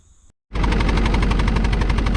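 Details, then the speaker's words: Kubota excavator idling right after a new muffler was fitted: loud, lumpy knocking at about eleven beats a second, with no exhaust smoke visible at idle; engine misfire at idle, owner thinks it still has a miss. "still sounds like it's got a mess just listen to it by the sound but you don't see no exhaust while idling which is 10 times better"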